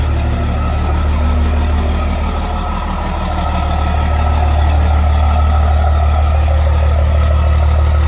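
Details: Cummins diesel swapped into a Ford truck, first startup after the swap and rewiring (swap adapter tach signal converter, fuel pump wiring): starts right up and settles into an even, smooth low-rumble idle with no knocks or misses; tachometer works, check engine light on.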